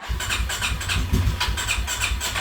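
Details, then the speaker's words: Polaris Sportsman 570 SP ATV: engine catches and runs roughly with uneven chuffing pulses and surging, then dies; it also spits, pops and backfires on throttle; starts then stalls, fuel pressure to be checked. "Um having trouble with it uh running, starting. Uh you go to start it, it'll start up"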